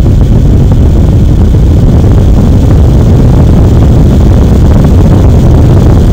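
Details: AMD Radeon HD 6950 2GB graphics card blower fan set to 100%, about 2400 rpm, mic one to two inches from the exhaust: loud steady air rush with deep buffeting, no ticking or grinding; healthy.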